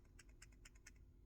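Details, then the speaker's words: Samsung S22 Ultra faulty 10x zoom camera module, shaken by hand: quick light clicking rattles in bursts, unlike the new module; a loose camera module rattle. "I'm just going to show you what I mean by when rattling too much so you see this please hear the rattling"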